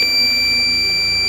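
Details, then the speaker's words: Tesla with an aftermarket Hansshow power trunk and frunk that failed after a long trip partly in heavy rain: loud unbroken high-pitched buzz from the faulty controller, stopped by cutting its power. "Now I've cut the power to the back of the controller so that at least that deafening noise is gone."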